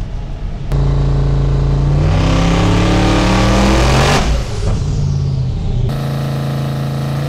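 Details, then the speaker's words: Twin-turbo Ford Fairmont with Holley EFI on a dyno, full-throttle pull with about one degree less peak timing and 5 psi more dome pressure, boost cut left on: engine note climbs evenly then drops off cleanly, no misses or knocks; healthy. "I wonder if I'll ever tune a car and remember to turn off the boost cut. That sounded healthy."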